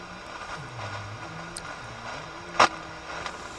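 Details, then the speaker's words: Motorola BT16BN vacuum tube AM/FM radio tuned to 98 MHz FM; only faint hiss with no station audio, though the 10.7 MHz IF passes; no FM reception. "you can hear I don't have any sound just static"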